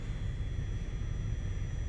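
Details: 2014 Ford F-150 XLT 3.5L, blower motor set to low while diagnosing a stuck-on-high complaint, drawing about 3.9 A on PWM control. A soft, steady rush with a faint thin whine, level and unchanging; the blower runs normally on low.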